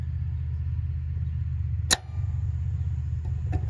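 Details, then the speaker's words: AC condenser unit with new contactor replacing a shorted one after a low-voltage short: over a steady low hum, one sharp clack as the contactor pulls in cleanly, no chatter or buzzing; normal contactor pull-in. "We got our new contactor wired, all but this wire, because we're gonna listen to it pull in."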